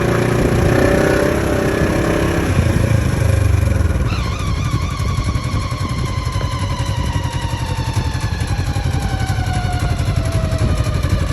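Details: 2015 Polaris RZR XP4 1000: high whine from the gearbox/transmission/clutch area over the engine, dropping in pitch as the vehicle slows; cause suspected, not confirmed.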